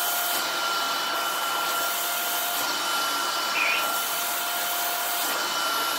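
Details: Shark vacuum fitted with a new or refurbished replacement motor assembly sent by the maker, just switched on: a steady even suction whoosh with a faint high whine, no rattles or surging; runs smoothly and very quietly.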